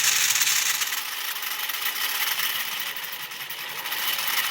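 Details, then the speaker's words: Lionel 2020 turbine locomotive (with original 6020W whistle tender), first test run on test leads before restoration: thin, dry high-pitched whirring with uneven buzz; motor runs and isn't burned out but clearly needs lubrication. "But I can tell it needs lubricant."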